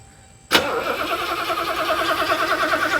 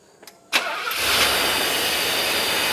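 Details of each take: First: 1984 Mercedes 500 SEL pre-merger AMG, first start after sitting 27 years, on a used Porsche battery: starter turns the engine over slowly and laboriously without catching; battery too weak, may need a jump. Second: 1984 Mercedes 500 SEL pre-merger AMG, after sitting 27 years: cranks briefly, catches first try and settles into a smooth, even idle with no misses after the warm-up regulator was addressed; normal start and idle.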